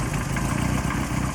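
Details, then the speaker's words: Lotus Excel being restored, idling with a bit of choke after exhaust rebuild: rapid puffing tick on each exhaust pulse, still blowing from a joint where damage has broken the weld; needs repair. "it's actually blowing from there still I'm gonna have to repair that from looks like the joints of the uh thing there is some damage here and it seems to have broken the weld a little bit there"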